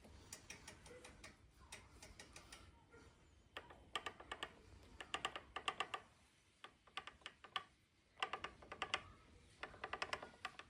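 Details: Specialized Levo Gen 4 Pro 3.1 mid-drive motor, cranks rotated backwards: bursts of light dry ticking and rattling knock; per Specialized, normal behaviour, not a fault.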